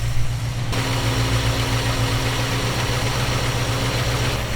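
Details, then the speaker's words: Small-block Chevy V8 in panel truck, fresh install, baseline carb tune from 650 rpm idle: idle steps up sharply and holds higher steady drone as mixture screw is turned; idle rising during mixture adjustment. "Okay, that was a big increase. I'm gonna bring this back down to that 650 that we started at."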